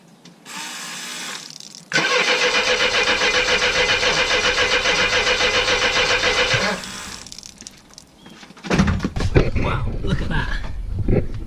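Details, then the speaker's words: Mercedes W123 petrol engine cranking evenly about four beats a second but never firing; fuel pumped from the tank isn't reaching the front, just pouring out of a leak, so no start. "it's bad news is it's not reaching the front it's just pouring out the"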